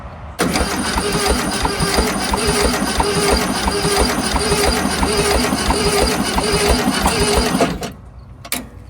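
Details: 1971 VW Super Beetle after 20+ years sitting, on a weak jumper pack; slow cranking about seven seconds with uneven beat, no start. Compression test found cylinder 2 at 50, 4 at 45, 1 at 5 psi; stuck valve or unseated rings suspected.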